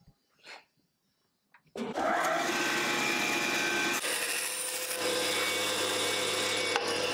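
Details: Wood-cutting band saw making a 45-degree angled cut with the miter gauge: motor hums steadily while the blade cuts evenly with a smooth rasp, no chatter or scraping; normal cutting.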